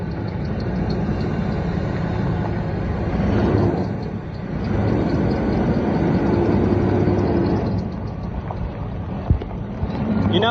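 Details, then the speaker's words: S10 truck idling before loading onto trailer; steady low idle with an even, unhurried pulse, no knocks or ticks, sounds healthy; normal idle. "hope it runs all right sounds healthy all right put it in reverse and see if it'll back up"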